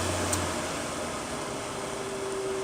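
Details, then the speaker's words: 2006 GoldStar/LG 6,500 BTU window air conditioner, rarely used since installation, on low fan: a steady airy rush with a thin constant hum; owner suspects the fan motor bearings are going out from lack of use. "Yep, now you can really hear it. Sounds like the bearings are starting to go out in it. Probably because it's not used enough."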